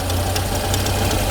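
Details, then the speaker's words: Peugeot 205 with fully original engine, running after new starter fitted: light ticks four to five times a second over steady idle, a diesel-like clatter from the engine area; source unknown, exhaust suspected but ruled out. "bruit d'un diesel je sais pas trop ce que je vais pouvoir faire dessus puisque le moteur est complètement d'origine"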